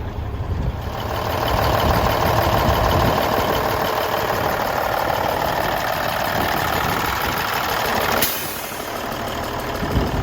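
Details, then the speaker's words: 1994 Freightliner FLB cabover, Cummins Celect N14, running after new injectors: diesel revs smoothly with an even beat and settles, no misses or knocks; an earlier chugging was suspected to be the air compressor. "Moved the truck, drove it around a little bit, runs really well, shifts and brakes, everything's working like it's supposed to."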